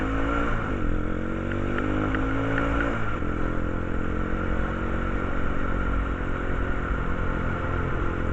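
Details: Quad engine: rough low drone with a clattery edge and a brief rev early on; abnormal noise, cause suspected but not confirmed.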